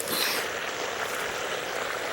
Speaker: I'm hearing some noises, and it sounds like there's a leak somewhere underneath one of these bushes.